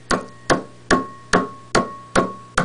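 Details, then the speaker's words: General Electric long-plate 12AX7 preamp tube, warmed up in a high-gain noise test fixture, tapped with a pencil: seven sharp taps ring through the speaker about 2.5 a second with a steady tone: microphonic vacuum tube. "you can hear the tapping clearly through the loudspeakers of the amplifier you can see the sawtooth ripples that die away on the trace plus the initial tapping of the pencil causes a trace to jump completely off of the screen so this tube is extremely microphonic"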